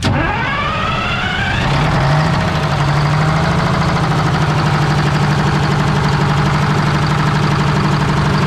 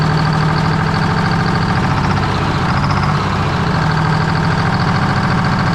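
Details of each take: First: 1973 Freightliner cabover diesel, hooked to 24 volt batteries, fuel shut-off cable held by hand: short crank, then it fires, revs briefly and settles into a steady, even clatter with no misfires; normal running. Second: 1973 Freightliner cabover diesel, restarted on 24 volts with valve covers refitted, RPM gauge not working: a loud, deep idle holding steady with a heavy low drone and a slightly lumpy beat. Rough idle; owner suspects an oil leak.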